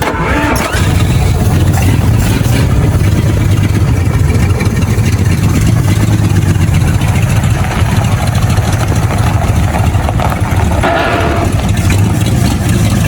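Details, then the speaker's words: 1954 Willys Jeep truck engine cranks, catches and runs loud and uneven with a rough mechanical valve-train clatter over the exhaust; loose or stuck valves suspected, hoping nothing is broken. "yeah it doesn't sound any better does it no it sounds pretty horrible right now uh I think just a couple loose or stuck vales myself hope it ain't nothing broke it's got some motor noise to it"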